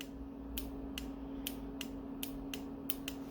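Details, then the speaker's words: Car 428/409 ECM power relay bench test for no crank no start, brand-new relay compared with old one of different resistance: crisp clean clicks about twice a second over low electrical hum; healthy relay switching properly. "let's see if there's a difference in the sound because the resistance is is twice as different you see how this one sounds more better see"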